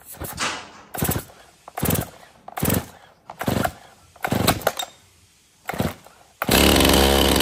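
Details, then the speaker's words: Stihl MS261 50cc M-Tronic chainsaw before service, on fresh fuel: six short starter pulls with no catch, then it finally fires with the throttle held open by foot; hard restart after first starting fine. "Okay, so you've seen this thing fire up for me, but then I had a hard time restarting it, and I had to use my foot to hold the throttle open to get it fired back up."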